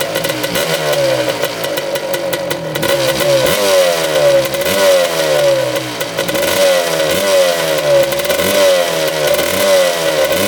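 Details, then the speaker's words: 1985/86 Suzuki LT250R two-stroke quad, early non-power-valve model, exhaust needing repacking: fires and revs in uneven surges, barely idling and wanting to die, died when choke was taken off; likely needs carb clean and fresh fuel. "trying to idle there we go idling a little bit sounds like it wants to die yep there she goes"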